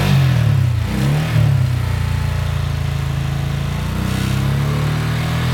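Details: 1983 Honda Shadow VT750C V-twin in second gear with the clutch held, test switch engaged: an uneven, stumbling misfire above 3000 rpm. A new ground did not cure it; the defective Spark Unit #2 did, and removing it solved the misfire.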